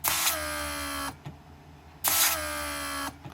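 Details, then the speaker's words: Rebuilt Mercedes W140 500SEL door lock pump on bench: whirs about a second, stops, restarts a second later; repeated cycling shows how a leak makes the pump re-energize, overheat and burn itself out. "basically if you have a leak this is what pump is going to do is going to keep it at re energizing and obviously overheating the motor and burn in itself"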